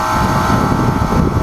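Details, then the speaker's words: Gas package AC unit: loud screeching compressor hum with no fan whoosh; the condenser fan motor isn't running because of a bad dual capacitor, so the compressor overheats; unit ran properly after the capacitor was replaced. "as we can see our condenser fan motor is not turning on"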